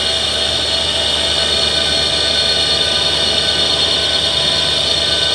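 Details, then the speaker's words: 12 V DC air conditioner compressor running unloaded, drawing about 13–15 A, with no gas charge: even high-pitched hiss and hum, no knocking or rattle; the noise heard is mounting vibration, not the compressor. Normal unloaded running. "तो ये compressor की आवाज़ नहीं है, इसकी vibration है। ये देखिए, ये सेक्शन भी कर रहा है और साथ साथ डिस्चार्ज भी, प्रेशर भी बना रहा है। तो कंप्रेसर की आवाज़ आप सुन सकते हैं।"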